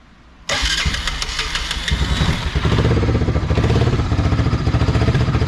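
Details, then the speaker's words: Honda 300 Fourtrax 4x4 ATV, carburetor just done, running without a gas tank: engine runs with an uneven skipping beat from fuel starvation and a loud raw blat from the exhaust, which is completely blown out (failed JB Weld repair); misfire plus exhaust leak. "motor sounds good of course it's skipping because there's no gas in it but the only thing you're hearing on the exhaust is that that is completely out"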